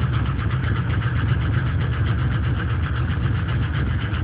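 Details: LS1 aluminum V8 (C5 Corvette block, truck accessories) cold start on 10W-30 conventional oil: uneven idle with dull loose knock under low rumble; owner suspects piston slap; runs strong, no leaks or smoke.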